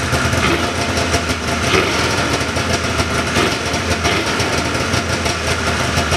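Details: 1979 John Deere Cyclone 340 two-stroke snowmobile after carb cleaning: even, buzzy idle sitting a touch high, steady with no stumbling or misses; air box or filter still off. Normal idle.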